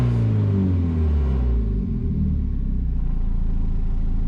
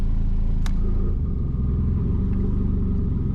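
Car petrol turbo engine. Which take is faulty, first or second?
second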